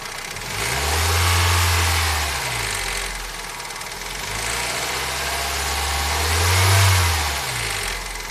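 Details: Toyota 4S-FE engine revved up and down twice: a light knock rides over the running and follows engine speed. Engine knock, cause unknown.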